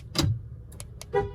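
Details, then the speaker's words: Honda remote reprogramming after master window switch replacement: several crisp lock clunks half a second apart and a short horn chirp, confirming the door locks cycle and the remote works. "On the fourth time, you should hear the lock cycle."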